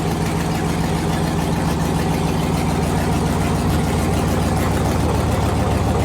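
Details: Gen V L86 6.2L V8 on an engine stand, with a new Speartech harness, S&B cold air intake, ZL1 fuel pump module: loud, steady, even idle, no ticking or knocking, good oil pressure; normal idle.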